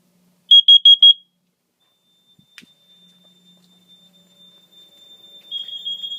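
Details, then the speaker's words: Carbon monoxide detector tested by pressing its button (no CO spray): four quick shrill chirps, panel set to a latching supervisory signal rather than a full alarm. "now let's test the carbon monoxide detector i don't have co spray so i can only press the button on it"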